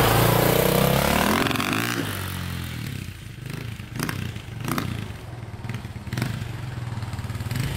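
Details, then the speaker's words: KTM 400 EXC/450 dirt bike (2002) on a test ride after reconnecting wiring, which did not fix it. On throttle the revs rise, then hesitate and break up into uneven pops and clatter. Cause unknown. "it's still doing that you could hear it just like you give a throttle it hesitates goes a little bit and then kind of breaks up so yeah it's not sounding too good not good at all actually"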